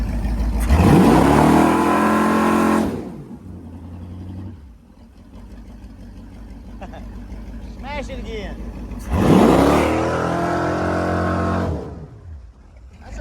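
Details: Taylor SS jet boat on a load tank test after a Berkley JE rebuild, revving to about 6,700 rpm with the gauge reading around 146–148. Two strong revs climb to a steady scream and drop cleanly with no knocks: healthy high-rpm running.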